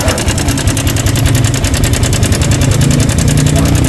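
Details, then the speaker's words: Sniper 155 motorcycle at 19,866 km, idling with fast dry metallic ticking from the worn stock cam chain tensioner; the mechanic is certain, and the planned fix is a manual tensioner. "So 100% to tensioner yan pag ganyan yung tunog. Iba kasi yung tunog ng sirang ibang part kumpara sa tensioner. Pag mga tensioner, ganun yung tunog niya."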